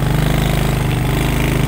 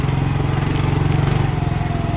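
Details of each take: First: Manual-gear motorcycle climbing a hill in first gear: deep, even thumping beat that holds steady while the engine labours uphill; pulling cleanly with no knock or rattle. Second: Manual-gear motorcycle climbing a steep hill in second gear: slow, heavy, deep thudding pulses under load and the engine won't rev up. Engine lugging in too high a gear, which strains and damages the bike; don't use second on climbs.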